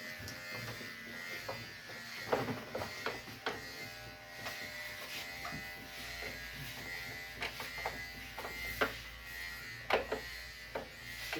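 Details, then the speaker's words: Split AC indoor unit making noise: steady buzzing hum with irregular scraping ticks as dirt hanging from the coil rubs the blower wheel; the fix is to clean the underside and tray. "ये आवाज कर रहा है। ये देखो ये से लगता है। हां ये टच हो रहा है। ये टच हो रहा है ना?"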